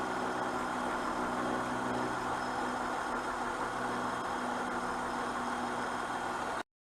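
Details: 2004 Honda Pilot with code 1399, compression 195–210 psi: steady idle with a faintly uneven, lumpy beat about three pulses a second; misfire, coils suspected, cause not confirmed.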